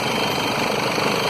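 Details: 2011 Mercedes Sprinter 313 diesel idling with a steady buzzing rattle: the locked alternator overrunning pulley vibrates the engine and hoses. Seizing, not bearing squeal, is this pulley's failure mode. Seized alternator overrunning pulley.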